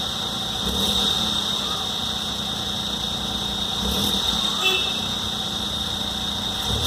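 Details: Hyundai Venue 1.0L turbo petrol, cold start: idle with a steady hiss and a thin high-pitched whistle; abnormal engine noise, source unclear, dealer unable to fix it.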